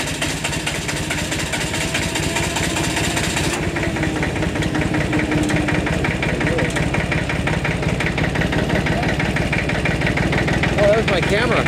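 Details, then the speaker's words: Massey Ferguson 1010 tractor diesel with a newly fitted fabricated radiator, slightly leaking water: steady idle chug with an even beat and no knocking; running fine. "all right it's running I'm running good it's just a cold-hearted beef"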